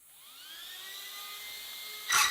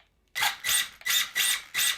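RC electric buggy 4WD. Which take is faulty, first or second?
first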